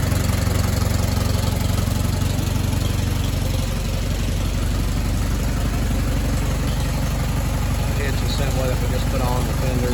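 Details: Allis Chalmers WD tractor after full rebuild and final assembly: deep steady idle with even firing beat, no knocks or misses, healthy.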